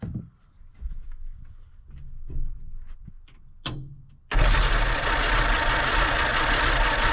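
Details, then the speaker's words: Abandoned 1946 Jeep Willys CJ-2A after sitting for years, start attempts with fuel poured in; uneven cranking with a few weak catches, then a rough roar that won't settle; won't keep running, keeps flooding, and the accelerator pump won't actuate. "all righty so we've been playing with the Jeep for a minute and well I can't get it it keeps on flooding and and I when I move this I can't really get the accelerator pump to actuate"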